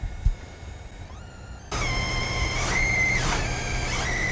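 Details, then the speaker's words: High, thin electrical coil whine near 2 kHz from a graphics card running Halo 1, jumping and sliding in pitch as GPU load changes. "So there you go, guys. That's coil whine. That's what it sounds like."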